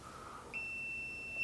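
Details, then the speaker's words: Non-contact voltage detector held near bathroom exhaust fan wiring in a 25-year-old house, power still on: steady high-pitched beep for about a second, correctly detecting a live wire. "When you put this next to a wire, if it has electricity in it, you can hear that."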